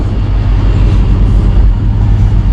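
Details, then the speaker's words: 2002 Cadillac Escalade after hydroboost brake booster replacement: steady, even low idle rumble with no whine over it; engine and power steering pump running smoothly. "It sounds great and there's no more whining."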